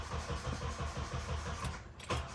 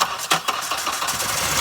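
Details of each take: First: JDM Honda CR-V after sitting a year, fuel pressure being built by cycling the key; starter turns engine over in an even chugging rhythm, about two turns a second, but it never catches; a connection later found unhooked. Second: JDM Honda CR-V sat a year, after cycling key to build fuel pressure and reconnecting something not hooked up: a few quick cranking beats, then catches into steady busy idle: engine cranks and starts.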